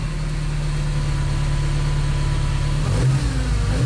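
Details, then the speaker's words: 1978 Ferrari 308 GTB, 5-speed manual, choke off, checked before sale: deep, even V8 burble with quick throttle blips that rise and settle cleanly, no knocks or misses; sounds smooth and healthy. "Yeah, that sounds smooth. Okay. That's not bad."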